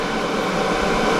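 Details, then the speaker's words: EcoFlow Delta 1300 power station charging around 300 W input; cooling fans kick up into a steady, even rushing whoosh, no rattle or pulsing, normal, not yet highest fan level. "you know this thing can take in so much power but when it is the fans really start to kick up and this isn't even its highest point"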